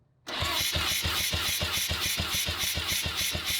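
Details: Mazda RX-7 10th Anniversary rotary cranking on a compression tester, rear rotor; even pulses about three and a half per second with no weak or missing beat, healthy compression.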